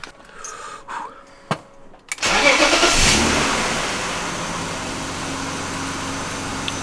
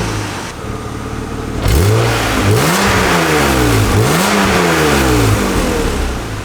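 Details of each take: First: 1997 BMW E36 M3 sedan after fitting a refurbished AC Schnitzer muffler and fixing an exhaust leak near the cats: quick start settling into a smooth, even, quiet idle with no exhaust ticking; no exhaust leaks heard. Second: 1997 BMW E36 M3 sedan, stock exhaust, revved in place: raspy tinny exhaust with puffing leak near the cats and loose heat shield rattle, worst under the driver's side; before muffler swap and leak repair.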